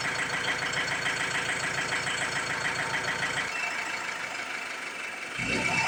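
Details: Ford Transit MK7 2007 2.2 TDCi diesel, after new injectors were fitted and lines bled: uneven idle sags and nearly dies, then catches again; rough idle and stalling persist, cause unconfirmed (fuel relearn pending).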